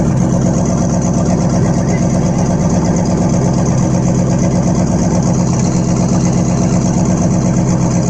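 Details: Chevrolet Tahoe V8 in a boat, first start after engine repair: even, deep burble at steady idle with no ticks, knocks or stumbles; normal healthy idle.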